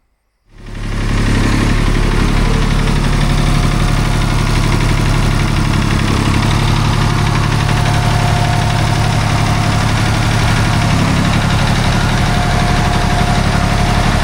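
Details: Restored David Brown 880 tractor diesel at idle, started on a jump pack: deep, steady chug about three beats a second, even with no knocks; normal healthy idle.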